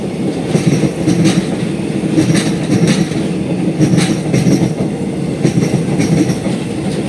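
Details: Passing train's wheels clatter repeatedly as each axle drops through a small dip worn beside a thermite-welded rail joint, recorded at Klaten station; wheel thump over dipped rail weld.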